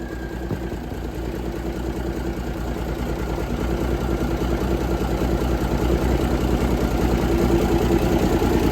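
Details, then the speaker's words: 1978 International Transtar II cabover diesel, first run after sitting: a steady, even idle with a regular low beat of about 150 per minute and no knocks or misses; normal idle. "Heat. Heat. It worked. Sounds good to me."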